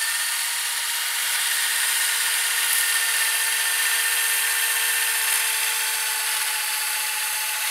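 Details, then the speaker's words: Panasonic PV-V4660-K VCR, owned since 2012, with a cassette carriage that doesn't seat fully; original drive belt replaced by a rubber band underneath. Rewinding: steady high whir with fine even hum, no slipping or catching; works well. "so it is a rubber band that is under and there it does the job you see it working well"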